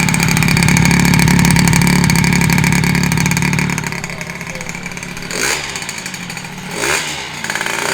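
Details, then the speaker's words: Honda Elite 120cc stroker two-stroke scooter build at first start, after a broken motor ground wire was replaced. A steady crisp idle with two clean throttle blips, so it runs healthy. "Wow, we started right up, bro. All it was the ground. Dude, this is just fire right up."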